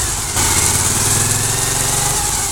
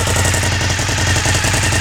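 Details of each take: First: 2003 Suzuki SV1000 V-twin, about 24,000 on the odometer, started for a run-through of the gears: loud lumpy twin beat settling into steady idle with slight rev drift, no banging or knocking. Normal idle. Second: A lowered 2003 Suzuki SV1000 V-twin idles with a rapid, sharp puffing pulse in time with its firing, a suspected exhaust leak near the rear; the motor otherwise sounds healthy, with no tapping or banging, and the transmission is quiet.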